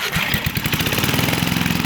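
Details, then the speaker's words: Homemade snowmobile-engine go-kart, 7 hp, revived after freeing stuck valves, swapping points and condenser for an aftermarket ignition and cleaning the carburetor: steady, even, rapid single thump firing cleanly, no misses or knocks. "It goes up the hills nice and fine. Goes pretty decent."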